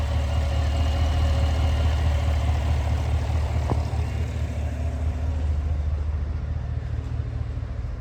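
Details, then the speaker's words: 2018 Cadillac Escalade V8 after DOD delete (BTR cam, LS7 lifters) replacing bent pushrod and collapsed lifter, shorty headers and Magnaflow muffler: deep steady idle, no ticking or knocking; no codes, good oil pressure. "She's now nice and quiet. All you hear is belt noises."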